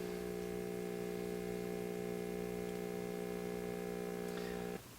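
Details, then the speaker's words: 1950 RCA 9-X-561 tube table radio (believed All American Five, 8-inch speaker) on the bench; steady low mains hum with no station or audio, cutting off at switch-off; no voltage out of the rectifier, owner suspects the 35Z5 rectifier, which later tests weak. "so i'm getting hum but i'm not getting any voltage out of the rectifier"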